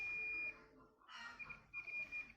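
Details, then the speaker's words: Battery-powered hearing aid: a steady high-pitched tone cuts out when the earpiece wire is removed and returns in short bursts when reconnected. The inner unit is fine; the external earpiece wire is faulty. Normal output. "বস্তুটো ঠিক হৈ গ'ল। আপোনালোকে শুনা পাই আছে চাগে।"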